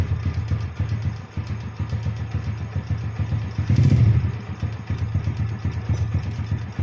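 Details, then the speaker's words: Jupiter Z motorcycle after converting from manual clutch back to the standard automatic (double) clutch, exhaust reinstalled: engine idles with even low thumping and one brief rev, no rattle or clatter; clutch area runs smooth. "okay, you can hear the sound of the engine bro, the sound in the clutch area [Music] is smooth."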